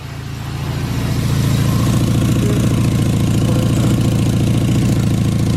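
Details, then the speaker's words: Mazda Miata with forged engine and new Garrett turbo, freshly started in neutral, settles into a lumpy idle with a sharp rapid puffing tick: exhaust leak from a top exhaust clamp left loose; tightening it stopped the leak. "got an exhaust leak I need to work on it looks like some of these on tight I can hear it where is it"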